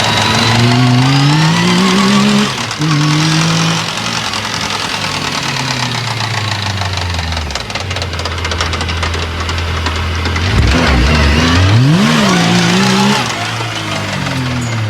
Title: Yamaha YXZ 1000r transmission knocking sound